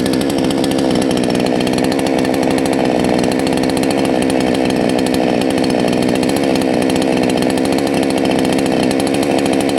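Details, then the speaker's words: Salem Master chainsaw held at full throttle with high-speed jet turned too far counterclockwise: thick, burbling drone instead of clean scream, with smoke. High-speed mixture too rich. "listen for this smoke is bad okay so we went way too far counterclockwise we got smoke"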